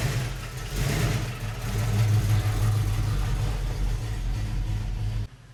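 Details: 1971 Mercury Comet GT engine, cold start with metal-contaminated oil temporarily refilled: deep, uneven, lumpy rumble while running and revving, consistent with damaged bearings shedding metal; to be replaced by a 347 crate engine.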